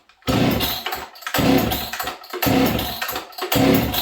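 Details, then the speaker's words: 1983 Husqvarna 266 chainsaw with original smaller carb, started on a cold day: fires and revs in four quick bursts, each flaring sharp then sagging; starts and runs well but slightly lean on the low jet in the cold. "it starts and runs good it's a little lean on the low jet today but it is what it is"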